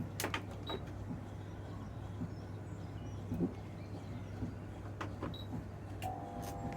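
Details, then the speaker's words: Beko heat pump tumble dryer: a steady low electrical buzz with faint clicks and no drum rotation. The drum motor hums but won't start, though it spins slowly when the drum is shoved by hand. "you can see it's like a buzzy noise and not spinning but if we give it a bit of a shove it starts spinning"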